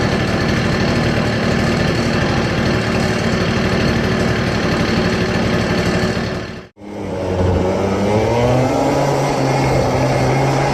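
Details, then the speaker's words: CPI two-stroke scooter idling after idle jet redrilled to 0.35mm: uneven stumbling beat about four per second dropping out and recovering, still rich and misfiring; mixture screw almost fully out, idle jet thought still too big. "better but it's still misfiring it is still running a bit rich I think the idle jet is still too big"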